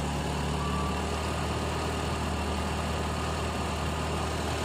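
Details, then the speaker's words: Carbureted car on gas fuel, reducer regulator pressure lowered, set at two full turns, tank getting very cold: low steady idle hum, no hunting or surging; stable idle. "mesin tambah agak tambah stabil ini pas dua putaran ya dua putaran penuh"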